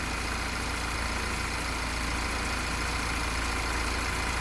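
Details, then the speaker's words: 2017 Audi A6 2.0T Quattro auction car with coolant loss and codes P00B70, P164D0, P164E0, P01170, P00870: steady idle with a faint repeating cycling sound; owner suspects the water pump or its actuating flap. "Heard that weird, cycling sound, which"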